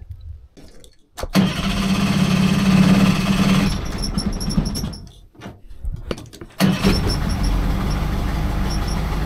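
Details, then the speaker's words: 30 hp two-stroke outboard, barn-stored for years, after replacing an internally shorted spark plug: catches after a brief crank and settles into a steady, even, quiet low idle with no misfire; running well. "oh that runs beautiful M that sounds perfect actually it's nice and quiet for a two stroke as well so yeah it was just that spark plug shorting out internally"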